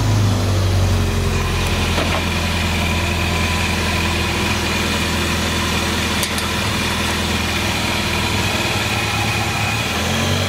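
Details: Porsche 911 started after reassembly and alternator wiring, charging at about 14 volts: even, settled idle with a steady low drone and light uniform mechanical chatter; reportedly running a little rich. Normal idle.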